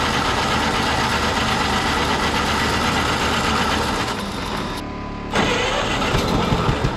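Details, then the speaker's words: Pony start engine, four-cylinder with magneto, on a cheap road grader on a 30-degree morning, after freeing a stuck-open valve and correcting swapped magneto wires that fired it on the exhaust stroke: catches and settles into a steady chatter of about four pops a second. "so it was actually firing on the exhaust stroke of the four cylinder so once I switch them it popped right off"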